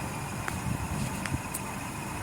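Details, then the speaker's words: Buick Encore Ecotec 1.4L idling with a low rumble and short thin chirps every second or so; long-term fuel trims far too high; covering the PCV made the chirp louder, so the PCV is the likely culprit of a vacuum leak. "If I was to go ahead and stick my finger right on the EGR, or excuse me, the PCV, should quiet down. Or in this case, got louder. That's most likely the culprit."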